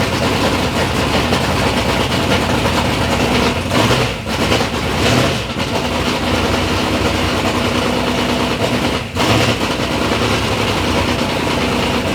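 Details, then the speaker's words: Third-gen Camaro with big-block Chevy V8, first start-up after years of building: loud, steady idle with a deep, even rumble and a couple of brief dips, no knocking; normal, healthy idle. "but initially we got to hear the motor run sounds good sounds healthy"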